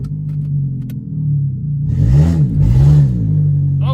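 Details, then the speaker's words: Junkyard Nissan Altima coupe with a transmission pressure sensor code and one O2 sensor unhooked: pulling away, revs climb and flare without matching pickup once rolling; transmission slipping, owner suspects the missing O2 sensor. "it slipped a little bit slipped a little bit yeah it's like just that once it gets rolling the RPM's it'll run on up"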